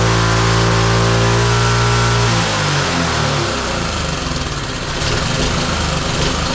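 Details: Roadside-found lawn mower engine for the Tommy Gun mini bike (carburetor gummy, may need replacing): steady quick putter dropping to a lower, looser beat partway, still even; running fine.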